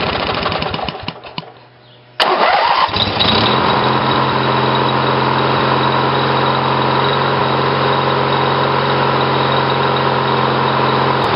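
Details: Briggs & Stratton 18 hp twin vertical-shaft engine (model 822707) with GM LS2 coils triggered by old failed magneto; cranks briefly, catches at once, settles into even steady run; starts and runs fine, normal.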